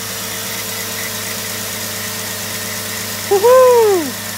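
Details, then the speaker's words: 2003 Jeep Grand Cherokee, first start after harmonic balancer replacement and coolant refill: smooth, even idle with steady drone, no knocks, ticks or rattles; engine sounds healthy. "let's check it out guys I don't hear any noises"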